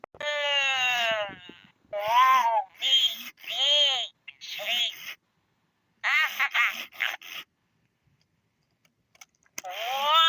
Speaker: Here is how a Furby is normally supposed to sound.